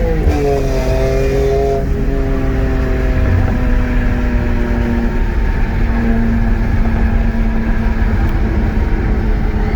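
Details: BMW E46 M3 (S54, 139k) during a quick test after water pump replacement and cooling system overhaul, with no overheating so far: revs up cleanly, tone climbing smoothly then holding steady under load, with no knock or squeal. Normal acceleration.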